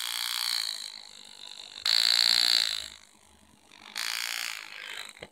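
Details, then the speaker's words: Air engraving machine with new handpiece, air regulator to foot pedal switch: pedal-driven bursts of high fast buzzing about a second each with quiet gaps; handpiece cycles evenly and runs well. "so the handpiece is vibrating you probably can't hear it now maybe you can hear it it's vibrating a little bit but when I press on the foot switch you can probably hear that"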